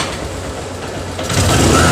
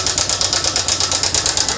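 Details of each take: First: TVS Sport motorcycle after repair for a noisy timing chain: revs rise and fall, then a smooth even single-cylinder idle with no chain rattle, sounding like a new engine. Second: TVS Sport motorcycle: loud, fast metallic ticking clatter of about eight to nine beats a second over the engine. The timing chain is worn and its adjuster/tensioner is damaged; both are to be replaced.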